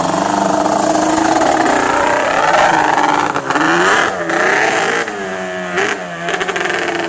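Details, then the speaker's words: Yamaha Banshee 350 two-stroke, first start after 6 months in storage, with fresh premix and carb bowl drained, runs cold with an uneven blubbering note, surging and dipping, seemingly missing on one cylinder; rough running when cold, cause unconfirmed. "it was trying but it was still cold that's what I could hear like the blubbering cold"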